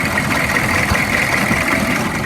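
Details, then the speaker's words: 2002 Chevy 3500 utility truck, 6.5 liter diesel, 89,150 original miles: loud, clattery but steady, even idle with no obvious knock; something sounds rough in the front, cause unknown. "This is an old work truck, but it looks like it still has a lot of work left in it. Diesel engine sounds loud."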